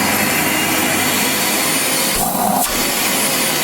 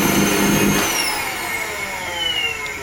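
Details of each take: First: Wertheim 5035 vacuum cleaner after motor replacement for grinding motor sound: smooth steady high-pitched rush with brief dip, no grinding or rattle; new motor running cleanly. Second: Wertheim 5030 vacuum cleaner: the motor whines down from speed with a rough, gritty grinding roar underneath, a failing motor to be replaced.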